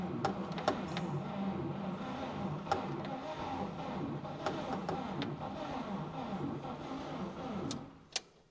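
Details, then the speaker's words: 1949 Chevy Fleetline Deluxe, original 6V wiring, last registered 1970, start attempt after decades sitting in a barn; good spark confirmed. Slow uneven cranking with sharp pops as it tries to catch, then dies away; cranks but won't start, cause unconfirmed. "Oh yeah, it's trying. It is trying. No question about that."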